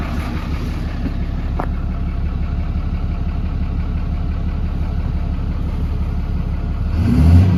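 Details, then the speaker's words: 2010 Dodge Ram 5500 turbo diesel, which the owner says takes a minute to start: steady low diesel clatter at idle with a smooth rise in revs near the end, even and unbroken, running normally. "got a rough time starting so takes a minute to [Music] start watch your fires it sounds good"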